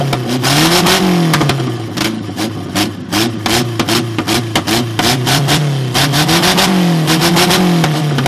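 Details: 1969 Ford Capri barn find with twin Weber carburettors, first run after revival: the engine fires and revs up and down cleanly, pitch rising and falling smoothly; it runs strong and even.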